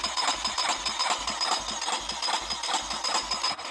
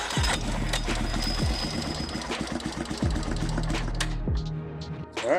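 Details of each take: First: Junkyard 350 engine primed with fuel poured down the cylinder: uneven popping about twice a second for a few seconds, then it dies; it catches briefly but needs fuel in the carburetor to keep running. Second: Single-cylinder Warrior 350 revived from a junkyard, with leaking carburettor and oil leaking out: it cranks, catches and settles into a steady quick thump with revving. Valves were found out of adjustment. Normal running.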